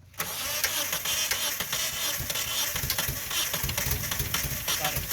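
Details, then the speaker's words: Mitsubishi car, engine cranks but won't start: starter spins steadily for about five seconds without catching; a cracked vacuum hose from the fuel pressure regulator to the intake manifold was found releasing smoke and even sparks during cranking. "El motor hace el cran, pero no logra encender. Notamos una manguera rajada que suelta humo, e incluso chispas de fuego en el intento."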